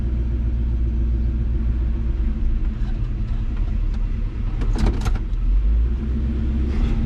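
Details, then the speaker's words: Deep steady engine drone under road load, no stumbles or surges, on a test drive after changing carburetor metering rods to lean out the carburetor; runs clean and even, normal running. "Okay, I changed the metering rods and leaned out that carburetor and took her for another little test run. And things went a lot better."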